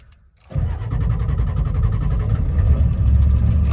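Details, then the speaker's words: 1992 Ford F250 IDI diesel, long non-running, with new batteries, in neutral: quick crank, then fires right up and holds a steady clattery idle without stumbling. Normal start. "There she goes."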